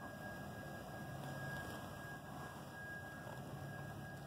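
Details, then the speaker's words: Relay on an HVAC defrost control board heard through an ultrasonic leak detector: steady hollow whooshing hum like a distant vacuum cleaner; technician suspects the relay is going bad and may cause contactor buzzing, unconfirmed. "I would say something in that relay is going bad will probably fail sometime in the future"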